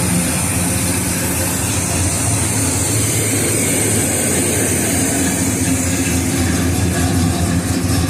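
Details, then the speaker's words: 1969 Oldsmobile 442 V8 revving after plugs and compression test (150 psi, number two 145), warm not cold after half-hour rest, slightly rich: loud deep lumpy choppy cam rumble, even, no knocks or ticks; healthy engine, nice cam. "So that sounds good, man. Good cam. That's a real nice cam. It sounds good."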